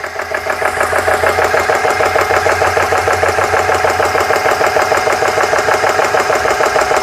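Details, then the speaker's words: GX CS3 compressor after O-ring repair (four O-rings replaced), pumping into deadhead set at 4500 PSI, around 3,000 PSI: even pumping about two strokes a second, no knocks or rattles; working, though pressure builds a little slowly. "That's 3,000. That's a little This may be a little slow, but seems to be working."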